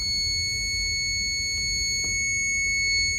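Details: Brand-new APC Back-UPS Pro 1500VA (BX1500M), received days earlier, with a crooked battery connector and a suspected short from melted wires: a steady, piercing alarm sounds continuously on power-up, a start-up fault.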